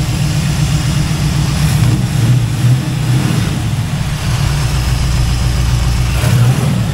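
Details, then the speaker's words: Kevin's Chevy El Camino V8, idling after the timing was checked: deep, steady rumble holding an even idle with no lope or misses. Sounds much better; smooth idle. "it does sound a lot [Music] better that big Cam went away"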